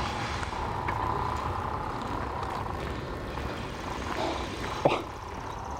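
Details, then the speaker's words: CSX ballast train O037, 51 cars heading north in Richland NY, 2007: heavy rumble with a thin, wavering squeal from one wheel against the rail; an observer suspects that wheel got too much grease. "I think that one wheel got a little too much of the grease. Yeah. The one that's doing all the squeaking."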